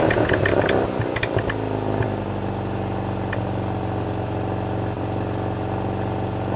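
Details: 1987 Mazda RX-7 rotary with Pacesetter header, custom test pipe, Borla catback, after fixing all exhaust leaks: brief clattery start settling into smooth, even idle with no puffing or ticking; much quieter inside the cabin.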